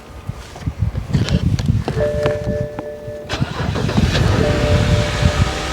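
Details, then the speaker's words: BMW flood car that had been sitting, sold as run-and-drive at auction: short crank, catches at once and settles into even steady idle with no stumbling; clean start, though battery, ABS, service engine and traction lights show. "Fired right up. Car fired right up. When do you know a BMW that's been sitting, it's a flood car, and it fired right up?"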